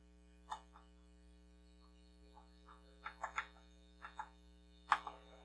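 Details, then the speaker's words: Commodore SX-64 floppy drive after head cleaning and rail lubrication, different disc: scattered light head-step clicks over a faint steady hum, reading smoothly and loading much faster; alignment check good. "yeah it's better much better there we go so now this thing's loading up a lot better A lot faster"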